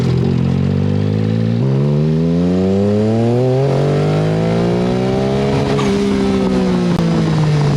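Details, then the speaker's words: Turbocharged Mitsubishi Mirage-coil EFI engine on street tires, geared low: revs climb then break up, ragged and twin-like as boost builds, no power, won't rev; owner suspects blown factory coils, upgrading to Nissan R35 GTR coils. "you can hear in that footage when it does hit that point where it starts to break up it sounds to me like a twin for that reason alone I am inclined to believe that I may have blown up the factory coils in this thing"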